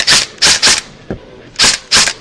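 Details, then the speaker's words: Echo1 Troy airsoft gearbox with 16:32:1 speed gear set, re-shimmed to one shim and motor raised after too-low pinion mesh: short sharp rattling bursts of rapid cycling, crisp stops, no whine underneath; normal full-auto cycling. "okay sounds good my hands are nice and relaxed now from that little gearbox massage"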